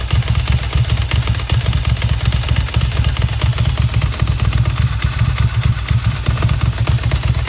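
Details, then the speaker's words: Ducati Monster 900 after its fuel problem was fixed by cleaning the injectors, full choke, fuel pressure holding: lumpy, loping twin idle firing steadily with evenly spaced pulses and no misfire; normal running. "There we go. Got it running."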